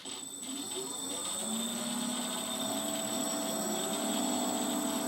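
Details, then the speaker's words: Twin-motor ArduPilot plane on the ground, one motor cut via a scale dial: motor whine keeps sweeping and wavering instead of dying away and the prop doesn't brake; owner suspects the ESC desynced. "so when I turn one of the dials down we turn that motor off and when the other day I will turn that motor off oh that didn't break I wonder what happened"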